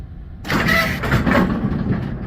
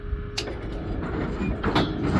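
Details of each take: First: GSX bowling pinsetter on lane six, after sweep wagon shock replacement and pivot lubrication: machine kicks in with a short mechanical clatter and runs its cycle with no squeak; sweep operation sounds normal. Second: GSX pinsetter sweep wagon in guard position, run through once: short steady squeal at the start of the sweep's travel, then clunks and rumble of the mechanism; squeak from a dry bushing needing lubrication.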